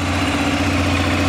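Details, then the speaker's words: Arctic Cat 400 ATV single-cylinder after sudden no-spark fault fixed with an updated flywheel rotor, running a few minutes and idling back down; smooth, steady low thrum with no misfires or knocks; normal idle. "now starting to idle back down a little bit there we go motor sounds good everything sounds really good on it so there we go that one is fixed"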